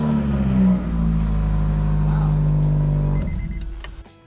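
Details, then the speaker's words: 1998 Honda Prelude H22 project car (swapped block, engine from another car), revived first start on jump pack: catches and idles steadily with even low drone, no knock or tick; runs well. "right, it sounds good. Now we can start putting a lot of the other stuff together. Just didn't. It wanted to run. Yeah, so he's gonna be happy. That sounded great."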